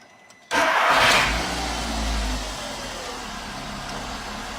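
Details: 2008 VW SpaceFox 8-valve engine after starter motor refitted during major service: short clean crank that catches at once and settles into steady idle, no grinding or clatter; starter previously made a loud ugly noise.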